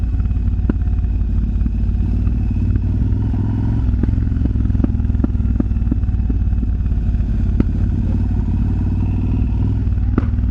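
Sharp, uneven pops and crackles break through the deep, lumpy V-twin idle every second or so, which is exhaust popping.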